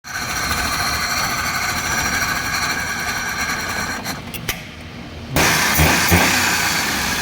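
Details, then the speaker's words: Maruti Suzuki Alto petrol engine runs unevenly, sags, then picks up with thumps; stalls when TP sensor coupler is connected, runs with it unplugged; cause is a wiring fault. "इसके wiring में problem है, इसके wiring में problem रहने की वजह से ऐसा हो रहा है।"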